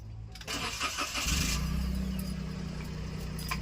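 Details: Toyota Wigo, after an immobilizer crank-no-start fix: a short crank, then the engine fires and settles into a steady, even idle. Clean, normal start.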